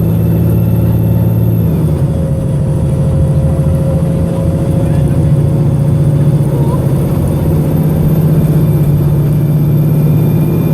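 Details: VDL SB200 diesel bus MX59AAY, recorded December 2017, under full-throttle acceleration. A loud, labouring drone with a ragged, uneven beat: engine misfiring while pulling hard.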